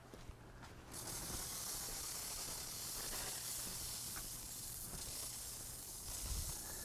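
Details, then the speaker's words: Home lawn irrigation system, zone 1 started from the controller during spring startup in Iowa: a steady, even hiss of water spray with no sputter or surging; the sprinkler zone is spraying normally. "See if we can see that sprinkler system. There you go, it's already started up."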